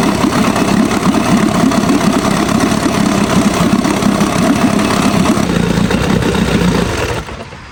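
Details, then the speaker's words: Old Evinrude Sport Twin two-stroke outboard, found after years in storage, after the carburetor was cleaned and fuel reconnected: even, steady burble with no stumbling, pumping water well; normal idle. "I took the carb apart and cleaned it all up and hooked gas back up to this thing, and it runs like a dream. See, it's pumping good water."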